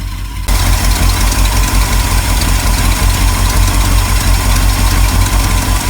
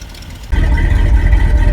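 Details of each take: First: 1974 Ford F-350 crushed by a fallen tree, running: rough loud V8 idle with a puffing exhaust leak where the pipe joins the manifold, from a small hole in the pipe, not the manifold; accelerator pump also leaking. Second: 1974 Ford F-350 crushed by a fallen tree, restarted: big engine catches and settles into a steady even idle with good oil pressure; exhaust leak where the pipe joins the manifold, accelerator pump leaking.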